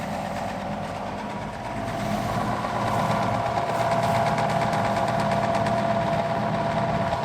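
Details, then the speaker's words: Old fan with a GE motor, rated 2.7 A and drawing 2.51 A at 179 W, started on a cool day after sitting unused: a steady mid-pitched hum with faint rhythmic ticking rising as it spins up. Blown bearing suspected. "it sounds like this has a blown bearing the tag on the thing says 2.7 amps and running 2.51 179 watts"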